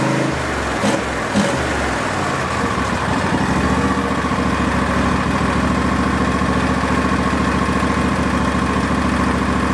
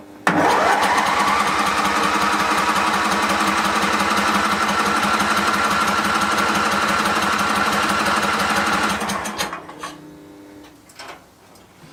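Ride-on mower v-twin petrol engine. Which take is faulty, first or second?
second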